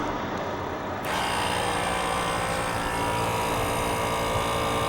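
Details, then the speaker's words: Engine off on a 2007 American Ironhorse Legend chopper (S&S 117ci, under 5k miles): the air-ride suspension pump kicks on with an even buzzing hum and steady high whine as it raises the rear. The pump is running normally. "It's hard to hear obviously when the engine's running, so you can listen to the pump right now."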